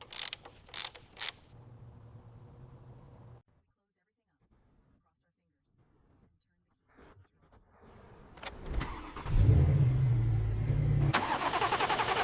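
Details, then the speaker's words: Ford Mustang 4.6-liter V8 after long sitting, fresh coolant flush and new air filter: starter spins the engine with an even, firm low churn, not smooth but strong, then it catches; healthy cranking. "The engine crank sounded strong. Not smooth, not perfect, but strong."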